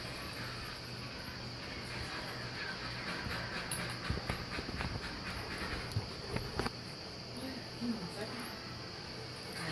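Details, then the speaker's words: Wheelock WMT 24 remote strobe (117 candela) beside a System Sensor MASS12LO non-ADA strobe: faint high-pitched rising chirps about once a second over room murmur, the capacitor under the reflector recharging between flashes; annoyingly loud. "I wish strobes didn't have that high-pitched squealing that comes from the capacitor that's in the circuit board area of the strobe underneath the reflector"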